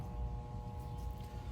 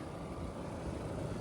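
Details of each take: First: Central AC outdoor unit, thermostat calling for cool, contactor pulled in, refrigerant present: steady electrical hum with fixed tones but compressor never starts; compressor stalled on a failed capacitor, later replaced and system ran. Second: Central air conditioning system on Long Island in summer heat, after replacing a failed capacitor instead of a quoted full system replacement: steady even fan and compressor hum, no buzzing, stalling or cycling; system running normally.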